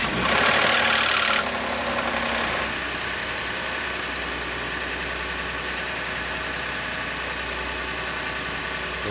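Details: 2011 Ford EcoBoost truck on a cold January morning start: a loud catch, then a busy idle with a metallic rattle. It persists after timing chain replacement and the fuel-in-oil TSB; timing chain rattle is suspected.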